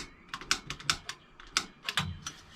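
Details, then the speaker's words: 1990 Fleetwood Bounder motorhome propane stove, left front burner: sharp, uneven igniter clicks about three a second with no flame catching yet. Owner is pretty certain air in the gas lines is delaying lighting; it lights after 5–10 seconds. "Oh, I hear it. There's probably some air. I'm probably pretty certain there's some air in the lines. Yeah, it's trying to blow my flame away. It'll light once there's propane there."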